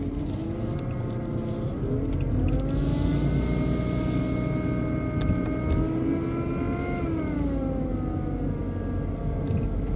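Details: BMW 120i E87 idling: tonal motor-like whine rising and falling with revs, seemingly from behind the airbox; oil change did not cure it, cause unknown.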